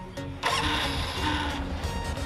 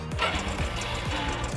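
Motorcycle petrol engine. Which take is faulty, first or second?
second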